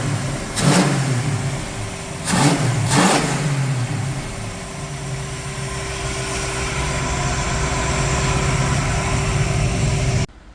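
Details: 1968 Mustang Fastback with 351 Windsor V8 running after 25 years, cam bedded in and warmed up several times, torque converter-to-flex plate nuts fitted: steady V8 idle with three clean throttle blips, smooth rise and settle; normal idle and revving.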